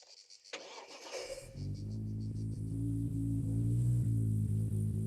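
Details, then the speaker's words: Lexus IS200 wagon turbo project after engine swap, weak battery; cranks, catches, slightly rough uneven idle with steady droning tone from the dead power steering pump, to be replaced; failing power steering pump noise. "All right, don't pay attention to the noises you're hearing. The power steering pump is dead."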